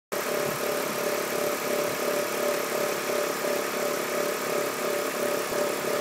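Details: BMW E46 323Ci at idle: steady buzzy mid-pitched hum with a faint uneven pulse, along with white smoke; abnormal idle noise, cause unknown.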